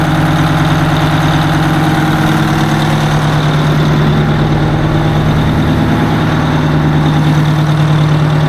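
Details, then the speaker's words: 1980 Peterbilt 359 diesel, restarted after sitting a while with the fuel rack stuck and old fuel gone bad; big diesel holds a steady, even idle with a smooth low drone and no misses, knocks or hunting, sounding much better. "way better fellas sick sounds a lot better sick"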